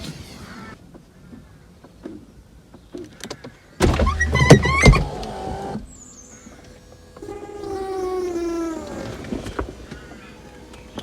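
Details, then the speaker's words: Audi A4 convertible roof hydraulic pump, powered directly after repair: electric hum rises and sags while roof moves, labouring; pump struggling because hydraulic fluid is low. "Yeah, okay, so that I think that is going to work, but I'm not going to risk it with the hydraulic fluid so low that it is in there. You could hear it struggling a little bit there."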